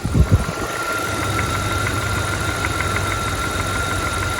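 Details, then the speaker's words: 1999 Dodge Dakota 5.2 Magnum (318) V8 4x4 idling high with a vacuum leak from cut hoses: faint, even dunk-dunk matching engine speed over rough idle; owner suspects exhaust manifold leak, hopes not knocking, not confirmed. "But I also think I have an exhaust leak. I keep hearing like a dunk, dunk, dunk, dunk, dunk, dunk, dunk."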